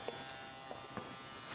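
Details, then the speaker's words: HPS grow light just switched on and still warming up. A steady electrical buzz with a faint fixed tone, louder than before; the owner hopes it fades once warm, and the cause is not found. "Now you can hear the buzzing. And it wasn't that bad before, I could swear. Hopefully it'll kind of warm up and go away. I really dislike that buzzing."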